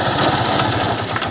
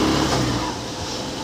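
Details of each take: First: Honda Unicorn motorcycle idling with a fast, rattly chatter over the engine beat, pointing to a worn gearbox bearing; clutch-side bearing to be checked first by opening the clutch cover. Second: Honda Unicorn motorcycle after engine refitting: pulling steadily on the road with an even engine note and no knocking or rattle. The engine sounds healthy.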